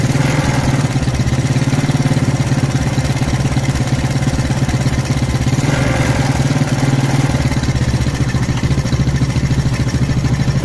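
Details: Smash motorcycle engine idling unevenly with a stumbling, sputtering beat; rich running with a black spark plug and high fuel consumption.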